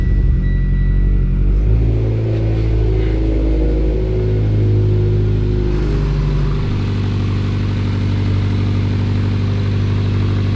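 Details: Mitsubishi Evo X motor, fully cold start after the oil pressure light had come on: engine catches and settles into a deep, even idle with no ticking or knocking, oil pressure reading almost 90 PSI cold; normal cold start idle.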